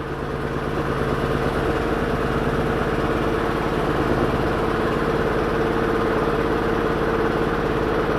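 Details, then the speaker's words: Daewoo Lanos, gas/petrol, after swapped high-tension leads were corrected: starts slowly and idles with an uneven lumpy pulse of about three beats a second; misfire, a cylinder possibly not firing, coil signals being checked. "дзеркалу видно як підкобашує так підковбашує підковбашує але машина завелася"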